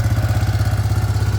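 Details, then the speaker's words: Yamaha Grizzly 600 ATV on a newly fitted aftermarket carburetor, backfiring a little, idling too high: fast, steady thumping about fourteen beats a second with no dips. It resists shifting, which the owner thinks is the high RPM. "Oh yeah, it needs to idle down a little bit."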